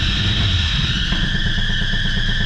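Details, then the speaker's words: 1985 Buick Riviera 5.0L 307 V8 at idle: steady high belt squeal over a choppy, buzzy exhaust rattle from a busted muffler, earlier misdiagnosed as motor knock. "You hear that noise? That is actually the muffler. And the belts."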